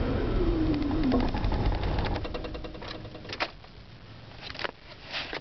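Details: Slow, steady cranking at about four beats per second that fades without a clean catch; hard start, cause unclear.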